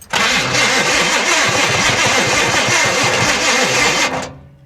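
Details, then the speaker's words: 1966 Impala SS parked over 10 years, started on fresh battery with gasoline poured down the carburetor; gauges later show a flood waterline. Starter grinds, then the engine runs about four seconds ragged and uneven: rough start. "go that sound awful that didn't sound too good did it"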